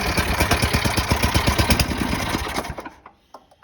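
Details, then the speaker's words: Free roadside snowblower, said to have a toast motor, running after draining bad gas, cleaning, adding a shear bolt and priming: small single fires in an even quick chuff and runs smoothly before shutdown; normal running. "But she runs pretty darn good."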